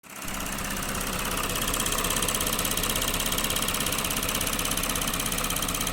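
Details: Lexus GS 300 3GR-FSE at 184,000 km (114,000 miles), idling: fast light ticking about three per second from the left of the engine and a smooth whir from the right, appeared suddenly after heavy windshield washing; cause unknown.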